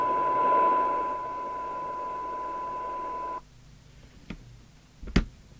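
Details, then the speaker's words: Maxcom 30E UK FM CB radio during service, receiver tested down to about 0.35 microvolt: steady hiss with a tone, then a sudden drop to near silence with a few clicks; a noisier set, possibly cheaper components, that hisses with squelch on. "it's got a bit more noise than some sets that can be down to cheaper components and this is one of these sets that hisses when you turn the squelch on"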